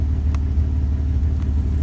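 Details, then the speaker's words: 2001 Dodge Ram 1500, 5.2L V8, after replacing the MAP sensor for surging and code P0107: low, steady rumble with no dips or surging; smooth, normal idle. "so we see a difference vehicle is sounding a lot better damn sensor"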